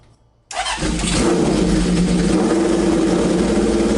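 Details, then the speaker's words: Honda CB750 four-cylinder, sat at least two years, revived with filed points, a new coil, cleaned carbs and fresh oil: catches instantly, revs cleanly and settles into a crisp, even beat with no misses; normal start and rev. "but dang dude the thing runs pretty darn great"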